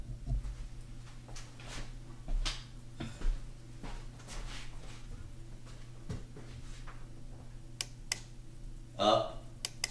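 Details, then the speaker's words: Johnson Evinrude FasTrak power tilt/trim unit on a 1999 Stratus 295 Pro Elite that quit trimming: crisp single relay clicks as up then down is pressed at the gear shifter switch; trim relays switching normally. "pressing the up one you should be able to hear it clicking press the down you should hear it click"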